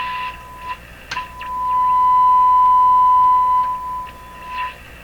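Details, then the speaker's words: Viking Model 4516 tube radio after replacing its wax capacitors, tuned to 1 MHz with a signal generator coil: loud, harsh, buzzy tone near 1 kHz with a very wide bandwidth. The receiver is overloaded by too strong an input signal. "I'm the bandwidth is that big it's that big that's because it must be pumping too high a signal in here"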